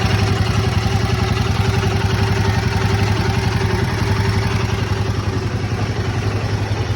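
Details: Royal Enfield Himalayan 452 motorcycle idling, with a steady light tappet/valve ticking clatter over a deep exhaust thrum.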